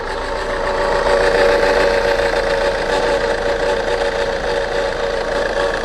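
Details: Saab 9-3 engine at idle: steady mid-pitched whine over an even idle, holding constant; strange noise, cause unknown.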